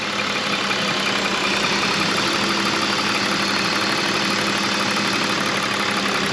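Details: 2001 BMW E46 325i wagon at a steady, even idle with a smooth whirring hiss and no knocks or misfires. This is after a coolant leak and lean-code fix, with the idle air control motor audibly working.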